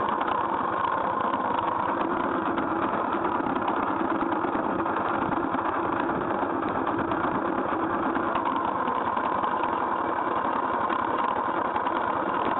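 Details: GY6 scooter engine at idle: busy, rattly mechanical chatter over the idle; abnormal engine noise, cause not pinpointed.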